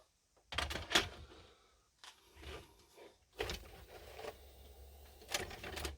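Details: 1983 Ferguson 3V32 (JVC HR7655) VHS deck after new loading belts and reset springs: the motor whirs and the mechanism clunks through its steps evenly with no stall midway. Normal cassette loading.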